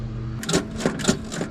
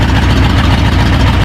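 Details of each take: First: Ford F-100 freshly swapped V8: a few clicks, a quick start into a steady idle with a faint thin whine riding over it from the timing gears. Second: Ford F-100 after a V8 swap: steady, deep V8 idle with no stumble or miss, then it cuts off. A week-long running problem turned out to be the carburetor, and it now runs smooth.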